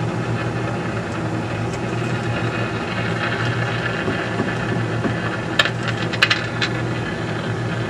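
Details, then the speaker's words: Philco 50-920 tube radio after capacitor replacement: steady hiss and low hum, then a short run of sharp crackles. Owner suspects leftover contact cleaner in the sockets or oxidized tube pins, not confirmed. "may just be that there's still some liquid contact clear in the sockets causing a bit of a problem"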